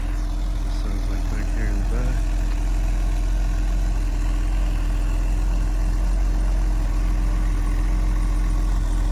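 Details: Mercedes 280SE just after cold start, sat since yesterday, heard outside the car: steady smooth low rumble with no misses or knocks; fired right up, clean exhaust, idles cleanly.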